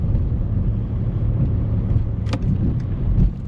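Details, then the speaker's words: High-mileage Skoda Octavia crawling out of a parking space, low engine rumble with an occasional sharp knock and dull thump from the front end; steering components still unrepaired. "I can I can hear the clunking probably of the front a bit more now."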